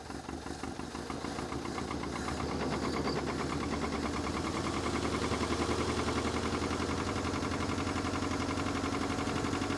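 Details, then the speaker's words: International Scout 80 (1963–65), sat over 10 years, first run, fuel hand-fed by bulb bypassing the pump: even idle with a sharp puffing tick on every firing pulse, three to four per second, from a known exhaust leak; motor otherwise sounds good. "And I knew it had an exhaust leak, but the motor sounds pretty darn good."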